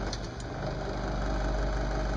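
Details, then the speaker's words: Lennox mid-efficiency furnace: inducer fan runs with a loud, rough, rattling hum; its motor bearings are probably shot, so the inducer is being replaced. "okay this is a lenux custom heat mid efficient furnace the inducer fan is making a whole lot of noise we'll turn it on so that's this guy"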